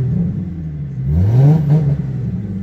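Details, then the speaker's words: Ford Mustang, 5R55-series automatic: engine engages in reverse, then revs freely to the rev limiter with no load and the car won't move, the same in drive; transmission slipping from a failed overdrive sprag. "for some reason when i put it in reverse you hear it engage when i give it gas"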